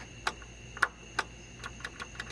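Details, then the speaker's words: John Deere GT245 tractor that won't start, key on: three crisp relay clicks and then a quicker run of lighter ticks; both relays click, so they are working, before the ignition module and starter repair. "i'm getting relays clicking up in wherever the hell i am these two guys they're both clicking so i know those are fine"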